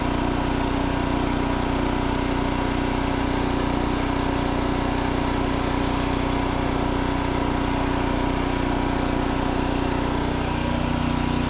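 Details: New 2200 W inverter generator, fresh oil and gas, just after first start, no load: steady, even drone with no misses, surging or knocks; running healthy.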